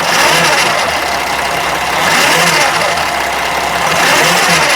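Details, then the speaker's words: 2013 Freightliner Sprinter 3.0 L diesel in limp mode, losing power and not going over 40 mph; revving in slow surges with light clicking running through it; cause not identified. "This thing doesn't sound good. Um, do you hear that noise? That clicking noise?"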